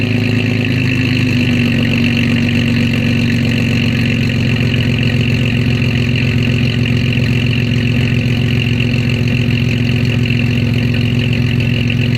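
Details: Start-up and idle after exhaust repair, recorded outside: the tailpipe that rattled against the leaf springs was bent and its hanger braced, and a clogged cat was gutted. The engine settles into a steady, even idle with a smooth exhaust note and no rattle or tick: normal idle.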